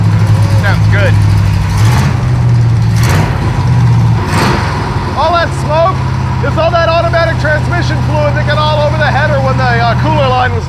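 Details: Junkyard Pontiac T-37 revived with a new carburetor, mixture just richened: a deep V8 holds a steady, even burble with no stumble or knock, with voices and music over it. The engine runs cleanly. Normal running.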